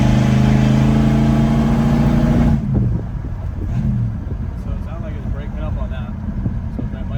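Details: Wife's Willys hot rod with small-block V8 on a warm-up test drive, transmission shifting through all gears: revs then stumbles and breaks up unevenly, sluggish. Ignition timing over-advanced, mixture possibly a little rich.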